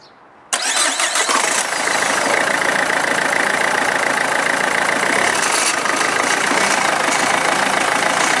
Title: Renault Megane II - an unknown engine knock